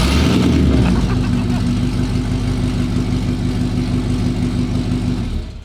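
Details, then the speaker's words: LS-swapped Holden HQ V8 first successful start on open headers, no exhaust fitted: loud raw burble settling to even idle, no misses or knocks, then shut down; normal idle. "hey that's our first successful startup well we have an lsq that starts that was one of our first ones that actually didn't fail straight up that started first time"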